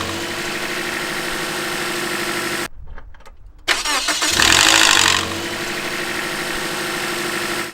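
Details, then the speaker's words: 2003 Toyota RunX, 1NZ VVT-i engine, start-up: a brief harsh rattle for a few seconds, then a steady idle. The single intake-side VVT cam gear rattles before oil pressure builds. "Basically, that rattling sound that you hear that just stays for a few seconds and then goes away comes from what is called the camshaft gear."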